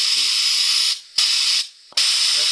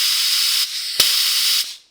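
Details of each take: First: 2012 BMW K1300R at 69,000 km, refilling coolant during a valve clearance service with the hose clamped: a vacuum filler gives a loud, steady, high airy hiss for about nine seconds, holding a very good vacuum, normal operation. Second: 2012 BMW K1300R at 69,000 km, during valve clearance service, vacuum applied to the cooling system: steady high airy hiss about two seconds, air drawn in through the open middle hose that must be clamped off.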